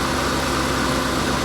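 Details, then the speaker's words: 1999 Ford Taurus SHO V8, previously non-running, battery suspected bad: smooth, even hum at steady idle with no ticks, knocks or stumbles; runs like a top, normal idle. "It runs like a top."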